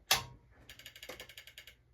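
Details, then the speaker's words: 1990 Panasonic 1267 car stereo with CD on the bench, ground wire reconnected, disc inserted: a loud clack, then about ten fast, even ratcheting clicks before stopping, and the disc doesn't spin; loading gears slipping, cause unknown. "That was a funny noise. Did I not plug something in? No, I know I did. I put a disc in."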